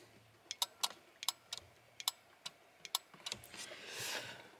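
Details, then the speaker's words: BMW E30 flasher relay (turn-signal unit) with electrical faults: sharp dry clicks in an uneven, stuttering rhythm instead of a steady tick; opened up, its contacts are oxidised so they connect very poorly. "on voit bien que lé bien bien aussi des en fait à ce niveau là la tac tac par exemple c'est censé être bien bien voyant que la cdc tout est aussi des ce qui fait que les contacts se font très mal"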